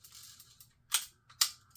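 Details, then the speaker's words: Vintage Penn 350 Leveline fishing reel after reassembly: two sharp metallic clicks with a lag before engagement; nothing presses against the spool, so it engages slowly. "Okay, because it doesn't have any pressure against it. That's what's wrong."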